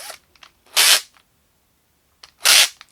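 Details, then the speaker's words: Makita DF330D drill in drill mode, first gear: two harsh crackling bursts from the gearbox as it slips, chuck easily held still by hand; gearbox fault. "видим она все равно не работает патрона я могу легко удержать и при этом слышен треск из редуктора"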